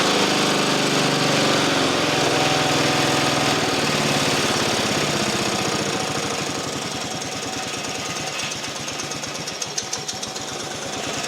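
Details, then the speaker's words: Single-cylinder engine after an engine swap, first start on full choke with a new battery terminal: catches and settles into a steady, even putter, about three and a half beats a second. Normal running. "It's running. Woo! You wanted a woo, didn't you? Woo! It's running, too."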